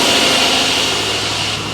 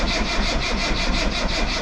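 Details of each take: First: Rover P6 V8 with newly fitted alternator at idle: thin high whine over a steady hissy idle, no knocks, a sound it didn't make before; alternator charging 14 volts, ignition warning light still not lighting. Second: Rover P6 V8 on a jump pack after alternator swap: steady starter churn under three pulses a second, never firing; fuel starvation, gauge reads almost nothing and the mechanical fuel pump's glass bowl has no petrol.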